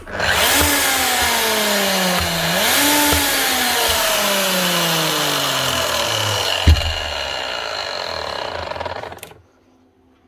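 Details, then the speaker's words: Bosch GSH11E 240 V demolition hammer: a smooth motor whine rises and sags with the trigger, with no impact blows. The mechanism spins free. Suspected stripped gear teeth, a sheared head, or a broken piston with the crank spinning freely, not confirmed. "Actually sounds like it's stripped out maybe. Either broke the gears up in here and stripped out the gear teeth, or she sheared off the head. That's just spinning free."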